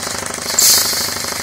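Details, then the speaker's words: Homemade 240 V compressor after belt and intake line fixes, belt still under-tensioned: fast, even clatter with steady beat, no knocks or belt squeal; running normally. "it's running pretty fly it runs really cool"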